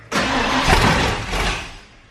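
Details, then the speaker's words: Ford Bronco being converted to FiTech EFI, distributor key wire newly wired into switch panel: engine catches with a quick burst, runs about a second, then dies every time; starts then stalls. "when the truck starts up it'll run for a second and then it'll shut off so I can show you real quick fuel distributor and then it'll start for a second and die"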